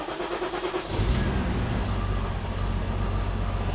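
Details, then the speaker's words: BMW E34 M5, S38 engine, 335k miles, revived junkyard car first start: catches and settles into an even, smooth idle with steady low rumble, no stumble, and revs up; runs perfectly smooth, a happy S38. "oh it runs perfect smooth oh yeah oh it actually revs up now yeah that's a happy s38"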